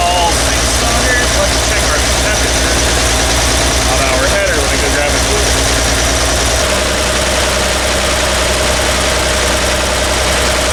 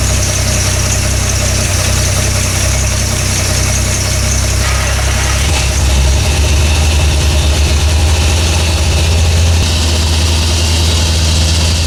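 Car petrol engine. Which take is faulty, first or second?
first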